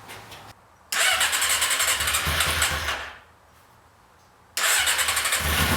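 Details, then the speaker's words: 1992 Yamaha XJ600 motorcycle, sitting unridden since the pandemic, first start after carb cleaning: engine catches in uneven loud bursts, dies back, fires again, lumpy and irregular; owner suspects carbs badly out of sync. Rough running. "i suspect these carbs are just really out of sync which is why it's running like an absolute turret"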